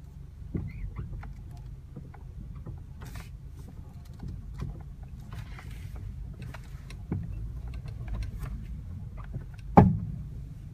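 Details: 2009 Honda Civic 1.8 FK2: sharp clunks, two loud and a few lighter, over a low steady rumble from underneath the driver side when turning the steering wheel; also light metallic clunking when moving and turning at low speed.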